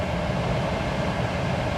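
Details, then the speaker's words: Fiat Cronos 1.0 Drive (Firefly three-cylinder) heard from the cabin while driving, with the AC blower on position 4 (high): a steady, loud airy rush from the dash vents over low road rumble. It is noisy but normal, as loud as in other Fiats. "É um ventilador do ar-condicionado bem barulhento, tão barulhento quanto a gente encontra também em outros Fiats"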